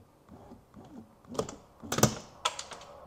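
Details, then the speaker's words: BMW E46 door during tint removal: soft window-motor whir, then sharp clicks and snaps inside the door as the regulator breaks while the window moves. Broken window regulator, owner had suspected it needed replacing. "You hear it just break? Well, I guess we're calling the parts store for a window regulator today too."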